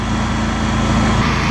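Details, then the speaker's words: Honda EU7000is inverter generator after start-then-stall fix, powering an air compressor: steady even engine drone with constant low hum, no misses or surging under load; healthy running under load. "okay compressor oh yeah yeah it's working great"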